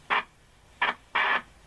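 Three short bursts of hissy static with no clear station between silences; the set receives poorly because the antenna coil is missing.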